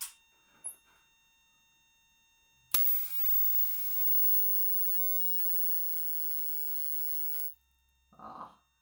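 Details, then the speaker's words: Crude X-ray setup powered by a CRT TV driving a Soviet V1-0.15/55 kenotron rectifier tube: harsh loud crackling sizzle for about five seconds, the tube arcing heavily and dropping the radiation output. "hopefully uh you can hear that it's arcing a lot in the tube"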